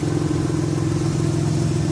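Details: After Tiida alternator conversion, idling: steady even low rumble, no misses, ticks or whine; charging 13.4–13.5 V, battery light off; normal idle.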